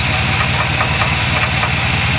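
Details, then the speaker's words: V8 with Edelbrock carburetor running E10 fuel: loud, lumpy idle with an uneven rattly knock-like patter; owner suspects primary air bleeds clogged by ethanol deposits, before cleaning; rough idle. "even sounds like she's knocking but there's two air bleeds up here these two air bleeds are probably clogged with the ethanol straps"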